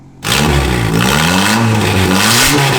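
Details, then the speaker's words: 2002 Mitsubishi Lancer (possibly CE); engine catches and revs freely, pitch climbing and falling smoothly, strong with no knocks or rattles: healthy turbo engine. "I want you guys to be able to hear this. Sounds really good. That sounds funny as."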